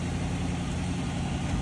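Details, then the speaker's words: 2007 Chrysler 300 with 5.7 V8, about 200,496 on the odometer, started with a jump: smooth, low, even idle rumble with no ticks or misses; runs very quiet and healthy. "Started right up with a jump, moving it forward. Sounds very quiet."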